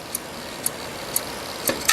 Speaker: and here is the click of death